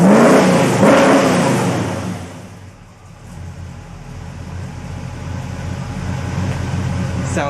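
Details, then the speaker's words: 1974 Chevy Nova V8 at first startup after installing a Pypes Race Pro 14-inch muffler and 3.5-inch polished stainless tips, heard outside: a blip rises and falls to a smooth, quiet idle. Normal exhaust, no rasp or leak. "great. Sounds nice and quiet. I'm actually very pleased. I'm actually surprised. Very surprised."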